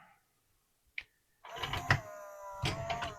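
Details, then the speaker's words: Pioneer CLD-3090 laserdisc player from July 1991, eject pressed: a click, then the tray motor whirs with a strained, wavering hum as the tray sticks on its track; old grease. "so we can see it's just it's getting stuck on this track here. Yeah, there's some old grease on there."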